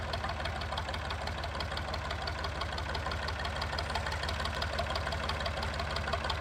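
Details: Massey 2500 forklift with a Perkins AD3 152 diesel, long-stored, quit with a suspected fuel issue, restarted. Loud, even diesel clatter at a steady idle with a crisp regular beat and no misses, running healthy without a muffler.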